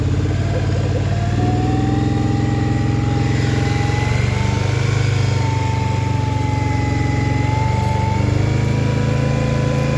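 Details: Scrambler XP1000 S: steady low engine drone with a wavering high tone riding over it; a weird noise whose source is unclear.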